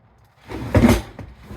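A drawer glides shut with a soft, even whoosh and a light knock at the end, with no squeak.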